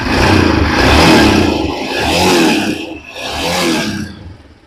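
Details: Royal Enfield Himalayan single cylinder after repair of a starter that only spun without engaging: fires and revs in three rising swells, picking up cleanly without knocks or rattles; starts and runs normally.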